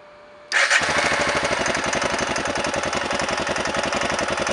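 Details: Honda NX650 single-cylinder engine knocking and smoking, owner asking the cause: fast idle with a sharp, regular tapping knock at every turn; cause unclear.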